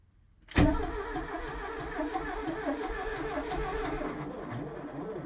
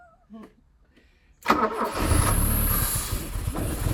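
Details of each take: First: Porsche 924 that sat about 30 years, cranking steadily with even compression pulses for about five seconds but never firing; no fuel delivery because the in-tank fuel pump is out of the tank and the tank is not plumbed in. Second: Porsche 924 that sat about 30 years, short crank then engine catches and runs rough and uneven for a few seconds on brake cleaner after cam timing reset, possibly a tooth out; fuse box and wiring in bad condition.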